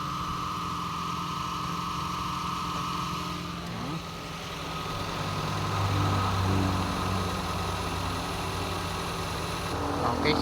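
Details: Toyota Vios idling after AC compressor bearing replacement, belt tensioned correctly: smooth, even idle with the compressor engaged and no grinding or rattle.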